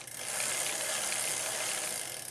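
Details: Old Cannondale bicycle after chain shortening and front derailleur adjustment, big front ring and second-largest rear cog: fast, even, crisp freewheel ratchet ticking as the crank spins backward with no rubbing. Normal.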